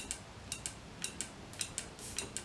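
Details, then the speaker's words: Halfords one-way bleed valve on a motorcycle brake line while the brake is pumped; faint crisp irregular ticks as air bubbles escape through the valve, seal on one side then giving and leaking brake fluid. "you can hear some air escaping. There you go, and you can hear that air."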